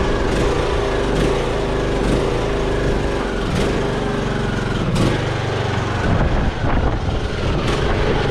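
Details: Craftsman riding mower that sat two years, after a dead battery and bad connections were fixed and the starter and carb replaced. Steady, even single-cylinder putter at constant speed with no surging, misses or knocks; normal running.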